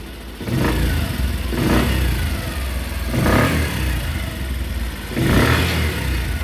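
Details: Bajaj CT 100 motorcycle after repair of a bad engine noise (connecting-rod knock). Four clean throttle blips that rise and fall smoothly with no knock or clatter: normal running.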